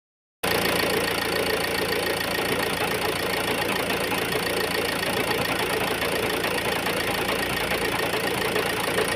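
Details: Ford Focus 1.8 TDCi diesel at idle: uneven, shaky knocking beat with no steady rhythm and vibration; rough idle, suspected injector misfire, not confirmed.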